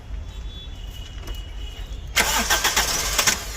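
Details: 2009 Toyota Corolla: the starter churns in quick uneven bursts of roughly four a second, but the engine never fires; crank, no start.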